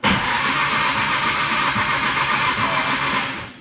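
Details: Nissan R33 GTR S1 NISMO build: the engine spins steadily on the starter with an even whirring churn but never catches, then cuts off. It won't start because the Link ECU lacks the 36-minus-2 crank trigger cam sync setting for the HKS.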